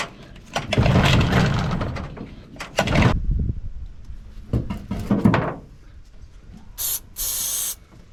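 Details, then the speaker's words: 15 hp Mariner outboard that sat 2 years, on fresh fuel and starting spray, before carb cleaning: short ragged bursts of firing that die after a second or so between pulls. Hard starting from a stuck carburettor choke. "Right, Carby off. So while I'm cleaning that, it's got a stuck choke, so I'll give that a go."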